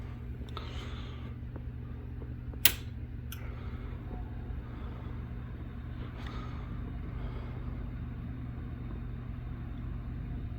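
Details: PC fans on the first power-up after cleaning a 3-year-dusty PC and CPU cooler and reassembling, with the fans still not fully clean; low steady hum with no ticking, rattling or scraping, running smoothly before a noise later appears.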